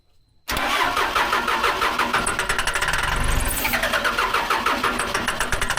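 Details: Case 580 L diesel backhoe cranked after the batteries went in, a new fuel filter was fitted, the line was primed and a shot of ether was given. Fast, even starter churn with steady compression pulses, but it never catches. Diesel cranks but won't start.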